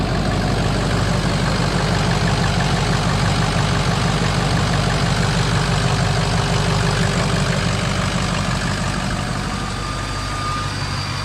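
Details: Ford F250 6.0 V8 diesel, first start after rebuild with new Sinister Diesel Pitbull Series 2 turbo: deep, even diesel clatter at steady idle, no misses or knocks, loud and smooth.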